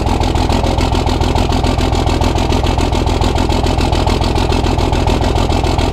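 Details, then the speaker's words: Cummins diesel truck at its first start after engine upgrades: lumpy, uneven idle clatter as if one cylinder misfires. The fifth injector line was loose and spitting fuel, first thought to be the sixth. Rough idle from a leaking injector line. "all right so I just checked my six injector line and it is spitting up fuel so I'm about to find my wrench"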